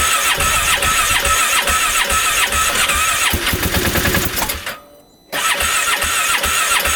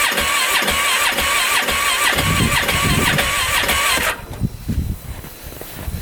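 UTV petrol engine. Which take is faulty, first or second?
second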